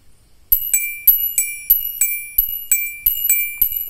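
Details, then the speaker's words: Bell-type turn signal chime unit for an old car's flasher circuit: bright bicycle-bell dings about three per second in a regular rhythm; can be muffled with tape if too loud; working normally. "suara kayak belpit ontel Tapi ini kalau terlalu keras nanti bisa teman-teman kasih E disumpel atau disolasi sedikit di sini"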